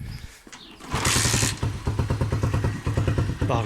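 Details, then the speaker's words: Motorcycle left outdoors in winter rain and snow, started up: catches with a rush, then uneven lumpy putter with skipped beats and stalls; misfire suspected from rust or water in carburetor or clogged fuel tap filter starving fuel. "hafiften bir tekleme sesi var ve stop ediyor"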